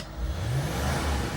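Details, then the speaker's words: Range Rover L322 TDV8 diesel, sat for 2 years with a gearbox oil leak, after a new gearbox gasket; a deep, even V8 burble rises smoothly with throttle blips, with no knocks or misses. Initial smoke was thought due to disuse; sounds healthy. "lovely V8 it was smoking out the back initially but I just think that's cuz it hasn't been run but that sounds absolutely abolutely gorgeous"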